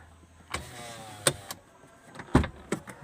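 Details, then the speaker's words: Toyota Avanza / Daihatsu Xenia All New left door window after repair: the motor hums briefly between soft clunks as the glass stops, with no more knocking of the glass against the door when closing, so the window now runs normally. "Nah, ini sudah apa namanya, sudah normal lagi. Jadi teman-teman jangan keburu ke bengkel kalau bunyi kaca kedengaran bertabrakan ya. Nah, inilah sudah tidak ada bunyi tabrakan antara kaca sama dinding pintu."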